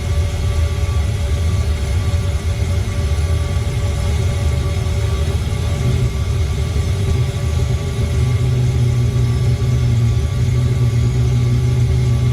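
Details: Old Eberspächer D1L diesel air heater from a sailboat, first start in years with new glow plug and clean fuel: steady low roar of burner and fan, even unbroken tone; lit and running normally.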